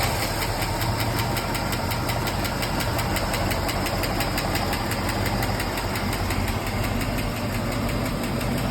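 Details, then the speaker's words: V8 idling after replacing new 1.6-ratio rocker arms with stock 1.5-ratio rockers, new lifters installed: steady idle with only light even valvetrain patter, no sharp lifter tick; driver-side tick gone, top end healthy. "yeah look at that that lifter tick is gone with 1.5 rockers"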